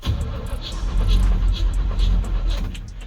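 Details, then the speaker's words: Project car dubbed the "banana": sluggish, uneven starter groans about three a second and the engine turns over slowly without catching. Slow cranking; weak battery suspected, unconfirmed. "Yeah, she sounds a little weak though. Classic banana. That sounds weak."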